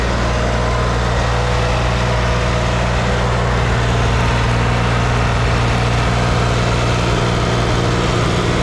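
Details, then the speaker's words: Chevrolet Corvair after pushrod tube seal replacement, exhaust manifold cocked slightly when tightened: steady low idle with a faint, quick tick-tick-tick on top at idle; small exhaust manifold leak. "so i think i'm just gonna have to live with a little exhaust leak i mean it's not bad it's just a tiny little tick tick tick at idle"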